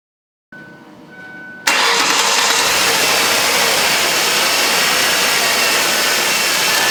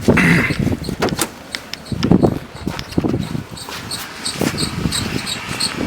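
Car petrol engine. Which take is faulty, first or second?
second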